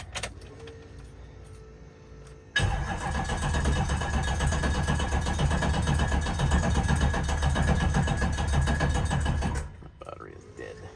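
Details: Diesel truck with a new fuel and air setup (400s injectors, 8096 ball-bearing turbo) and no transmission, at about 60°F, on two jump packs. The starter drags at about four beats a second for seven seconds and never fires. Slow cranking from a flat battery.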